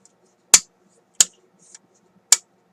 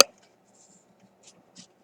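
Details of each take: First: RCA Victor M-45 AM/shortwave radio during checkout; three crisp clean switch clicks with no scratchiness or crackle, switch snapping over normally. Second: RCA M-45 radio, stiff wires at a replaced transformer being flexed: two or three tiny dry crackles as the rock-hard old insulation cracks; brittle wire insulation.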